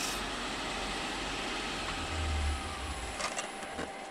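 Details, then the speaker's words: Wood lathe turning a 6x6 cedar lamp body in reverse while sanding with 120 grit: a steady, even abrasive hiss over a smooth motor hum with no knocks; normal running. "Now I'm going to put this baby in reverse and hit it with 120. As you can see, it sands up pretty quickly."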